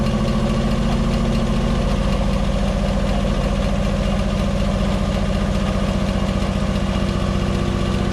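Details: Ford Fiesta XR2 with professionally refurbished Weber 28/32 TLDM carburettor refitted and anti-run-on solenoid wiring fault fixed so it no longer cuts out: starts and settles into a steady, even low idle of about three to four pulses a second without stumbling; normal idle.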